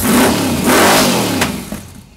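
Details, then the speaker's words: Freshly built 350 Chevy V8 with Holley, during break-in, good oil pressure; quick throttle blip, revs climb and fall back cleanly with no knocking or ticking — normal revving. "j-just a snappy little motor almost stick it in the Camaro she's working good"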